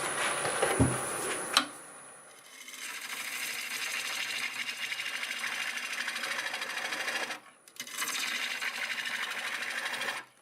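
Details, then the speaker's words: Lathe at about 760 RPM turning a dry, hard 8 by 3 3/4 inch boxelder bowl blank with a freshly sharpened gouge. Harsh, rattly hiss with uneven chatter as the gouge bites; a sizeable crack in the blank, sounding like it might blow up. "that's better. Oh, I don't like that sound. So here's what I kind of just discovered. It's a pretty healthy sized crack."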